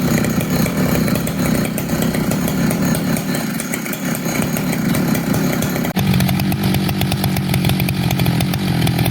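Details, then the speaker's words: Poulan 5200 chainsaw making test cuts: loud steady two-stroke buzz that holds its pitch as it bites into wood, with no sputter or bogging; the saw runs strong. "But when I get back together, you'll see in about 2 seconds, I'll have a couple test cuts with it, play with it, get a listen to it idle."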